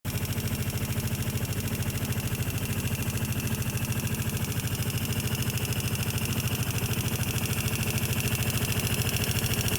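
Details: Vespa LX150 scooter idling with a sharp, very regular tick about three times a second; valves were adjusted but found tight, and the ticking is unchanged after adjustment, source still unknown.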